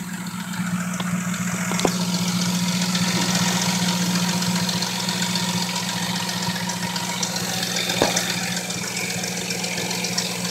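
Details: 1997 Lincoln Mark VIII on 10W-30 with Motorcraft filter, known intake leak: steady idle with a light, fairly even tapping several times a second; owner suspects timing chain flopping, unconfirmed.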